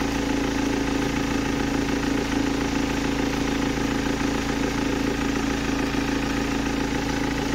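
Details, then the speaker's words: 2007 BMW 320d M Sport auto diesel, 182,000 miles, idle with a part fitted but not connected: steady even clatter and constant hum, no noise difference from before; loud idle cause unidentified. "yeah there was no noise difference whatsoever but science folks science"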